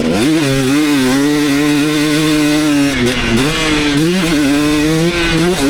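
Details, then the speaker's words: 2019 KTM 250SX two-stroke with Lectron Billetron 38 Pro carb, track riding: crisp clean revving, nearly no detonation, maybe one or two slight pings late in session when bike got hot; owner considers torque jet eighth turn more. "all right so I think I really hit the sweet spot that last one pretty much no detonating anymore maybe just like one or two times I heard just a little tiny bit like towards the end of the session when the bike was getting hot"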